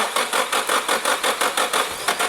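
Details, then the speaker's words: Nissan 180SX on a Haltech Elite ECU, retry while holding a button, which means the fuel pump doesn't prime: even cranking about five beats a second that nearly catches but never fires. "oh it wants to go it's going to go is it going to go it's going to go no"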